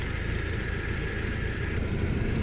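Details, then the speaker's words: 1998 Jeep Wrangler SE, 2.5 L inline-4, 161,084 miles, idling just after an oil change with the oil cap on. Even, low idle with a light belt whir and no knocks or ticks; oil pressure reads half. "sounding pretty good so far. The oil cap is on. The belt is running."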